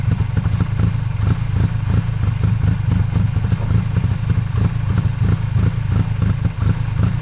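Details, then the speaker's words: 1995 Honda Acty in 27°F cold after sitting 2-3 weeks, jump started, barely started: uneven stumbling chug about three pulses a second, lumpy and rich, heavy white smoke, fuel pouring from air filter and charcoal canister; owner suspects stuck carburetor float. "en it did start, it idled rough as hell and there's a lot a lot a lot of white smoke and there's a bunch of gas pouring out. Like the carburetor float is stuck."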